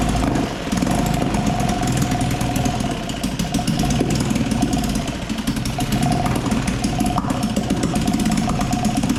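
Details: 1956 Firestone 3.6 hp outboard, first run after sanding the points and priming gas down the cylinder: rapid busy two-stroke popping at even speed, no misses or cutouts; running normally.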